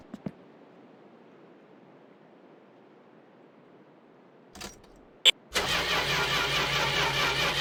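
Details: Corris Rivet: quiet, a couple of clicks, then a steady fast cranking whirr that never picks up into firing; cranks but won't start, cause unknown.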